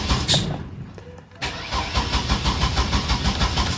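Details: 2000 Chevy Astro van, no check engine light, fuses, relays and distributor cap already checked: steady uneven cranking, no start; camshaft sensor with corroded, exposed wiring suspected.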